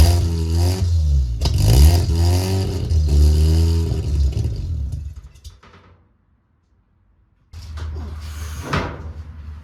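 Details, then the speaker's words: Mazda RX-7 sat over 2 years, just after fuel pump replacement, in neutral and smoking: catches and revs unevenly, dies, then refires; needs feathered throttle, won't hold idle because the idle air control valve is unplugged. "Well, it runs, and I can keep it running by feathering the throttle, but I gotta figure out now why it won't stay running."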